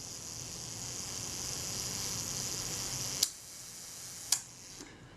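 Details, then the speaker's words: Zeiss Ikon Contaflex II 35mm SLR during service reassembly, self-timer refitted: steady high whirring buzz for about three seconds, then a crisp shutter click; timer runs down normally, though the shutter is suspected to run slightly fast. "there we go so that's running okay the shutter i suspect is running slightly fast we'll check that later but that looks okay so far"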